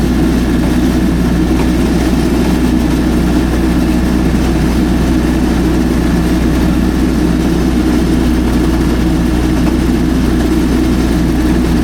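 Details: Military MEP803A 10 kW diesel generator with low hours, running after the auxiliary fuel pump got working: a steady, even low diesel drone with no misses or surges, running smoothly and healthy.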